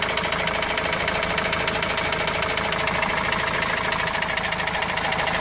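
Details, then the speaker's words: Opel Vivaro 2.5 diesel, parked two to three weeks after a noise appeared suddenly while driving loaded with goods: a steady, hammer-like knock about three per second, even and regular over the idle; a heavy engine knock, source still unknown. "وهذا الصوت ما عم نعرف منين الصراحة، صوت مثل المطرقة يعني."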